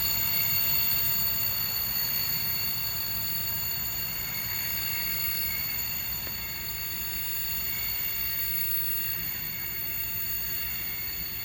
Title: Class 66 66599 Brake Squeal 463X Lawley Street F.L.T. to Felixstowe F.L.T. Ansley 15 January 2021